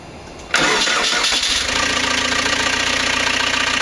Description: First start-up of rebuilt 1.9L AAZ turbodiesel, swapped into a 1986 VW Vanagon Syncro.